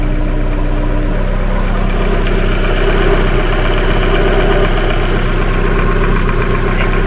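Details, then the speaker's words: 360bhp Mazda MX5 engine idling with a steady, heavy knock about four beats a second, much louder than before, loudest from underneath near the oil pan; exact source uncertain, engine being removed for repair. "if if this is the back of the engine but if you come here it's louder but then you haven't got the oil pan battle in it so it sounds like it's coming from there"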